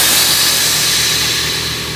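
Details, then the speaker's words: Newly installed Viper air suspension (front lift) dumping its bags: a sharp, loud rush of hissing air that slowly tapers off; normal air suspension dump. "It's not gonna make fire. No, it's just air, buddy. It's not gonna do anything."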